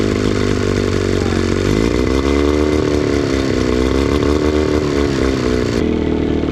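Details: 9.9 HP Johnson outboard after carburetor cleaning (a clogged bowl port was the suspected culprit), water on, fuel line primed, choke pulled: it catches and settles into a steady, even two-stroke run with slight rev wander. Normal running.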